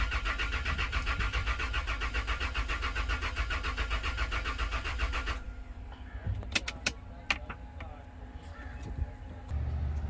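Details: Toyota Land Cruiser V6 cranks but won't start: steady starter churning about four beats a second for about five seconds, no firing, then only clicks; the fuel pump relay is suspected but not confirmed.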